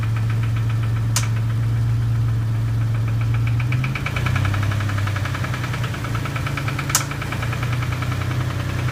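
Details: Dodge Stealth engine: steady low drone with rapid irregular tapping, about three to four per second, knock plus bent-valve tick; not present every time, engine smoking, oil pressure very high.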